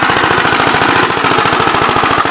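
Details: "Big Blue" 53 L single-cylinder engine after a plate patch on the cylinder, running in wind on a 24-degree morning: fast, loud, even chuffing at about ten firings a second with no misses. It has oil pressure, but oil leaks at the oil pump, planned for RTV.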